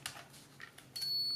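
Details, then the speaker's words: Pentax PC 35 AF compact autofocus film camera: a few small mechanical clicks, then a steady high-pitched electronic beep warning that light is too low, suggesting use of the flash. "Il beep vuol dire che la luce è poca."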